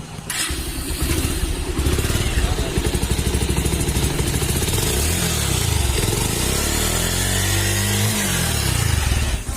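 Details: Pulsar 150 cc single-cylinder that developed a bad engine sound from high-speed running, first start after the rebuild and cylinder reassembly: rapid, even beat with a few gentle throttle blips and no obvious knock; sounds settled.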